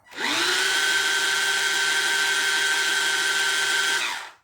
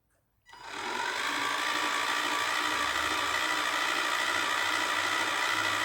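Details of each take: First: Ride-on Barbie Jeep (ex-NewBright Brutus) motor on the existing ESC spins up to a steady high whine, holds an even pitch about four seconds, then winds down; smooth and healthy, so the motor is not at fault. Owner suspects the ESC cannot supply enough voltage. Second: Ride-on Barbie Jeep (ex-NewBright Brutus) motor on the existing ESC spins up to a steady high whine with a thin squeak riding on it, source unknown; owner concludes the motor is fine and suspects the ESC lacks voltage, considering a different ESC and 4S battery.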